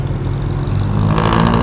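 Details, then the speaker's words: Suzuki SV650 twin just after reinstalling the catalytic converter: quieter and more bassy than the scattered sound without the cat, performance unchanged and still snatchy. Deep, mellow exhaust note swelling smoothly with throttle, not harsh; normal exhaust. "Dati kasi medyo sabog yung tunog niya nung walang catalytic. Wala namang pinagbago sa takbo. Same lang, snatchy pa rin pala. Pero sa tunog talaga, mas bassy siya,"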